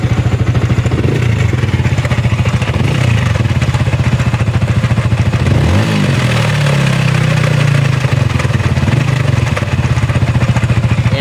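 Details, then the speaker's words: Yamaha Sniper 155 VVA motorcycle with a sudden noisy engine at idle: fast, even clatter from the cylinder head top end. Suspected valve train noise from worn cam bearing and loose rocker. "Ayan maingay trip natin"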